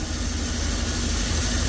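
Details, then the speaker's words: Old truck air compressor, engaged via PTO with engine running during tanker unloading, target about 1 bar: low heavy drone with uneven throbbing pulses, old compressor labouring. "Оскільки у мене компресор старий і він на силу працює то буду виріщати на камеру щоб було чутно"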